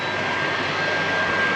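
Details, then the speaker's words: Caravan/camper roof air conditioner running at 36.5 °C outside, cooling inside to 27.6 °C: loud steady airflow rush with a thin constant high whistle; working normally but infernally noisy, especially at night. "Mais alors le bruit, là je pense que vous l'entendez derrière moi, hein, c'est infernal. Hein. C'est franchement infernal. Ça fait un bruit d'enfer."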